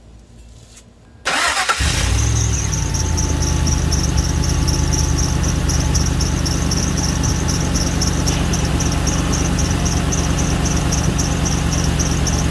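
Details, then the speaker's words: 2005 Ford F-150 4.6L after cold start, following replacement of a cracked exhaust manifold with broken studs, one stud still missing: fast ticking puff in time with firing over idle; repaired side barely leaks, opposite-side manifold clearly leaking in same area. "Well, it doesn't seem like this side is really leaking all that much, but the other side over there is definitely leaking around the same area."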